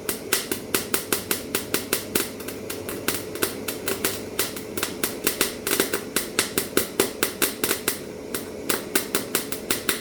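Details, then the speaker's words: MIG welding with 0.8 mm wire and the machine turned right down, wire feed speed too slow: uneven crackling sputter, four or five sharp pops a second with gaps, as the wire tip touches the metal, balls up, lifts and touches again without fusing. "that was wire feed speed too slow. So as you've probably seen there, what was happening is the end of the tip would make contact with the metal, and then all that would happen is that would ball up, and then it would come down, it would touch again, it would ball up,"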